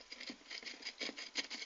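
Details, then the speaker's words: Wellgo V8 mountain bike pedal spun by hand after servicing and repacking bearings with grease; light even ticking patter, no grinding; bearings now smooth. "nice and smooth."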